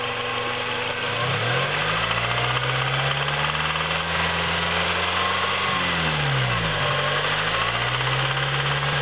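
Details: Hot Acura RSX petrol engine idling with a rapid light knock resembling valve ticking; valve clearance already checked, noise persisted; turned out to be a spun rod bearing, fixed by a K24 swap.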